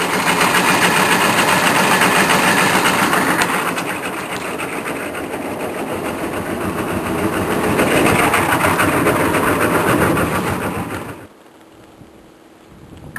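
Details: Chevrolet K3500 diesel, sat six months, cold start on starting fluid: engine running with a hard, steady metallic whir on top that stays after firing, then it cuts off; starter stuck engaged, owner suspects the solenoid melted internally.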